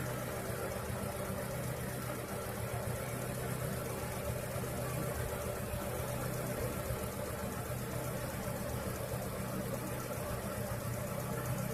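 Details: After treating the noisy alternator belt with paraffin candle wax, the petrol engine idles steadily and evenly with no cricket-like chirp or squeak from the belt; fix worked.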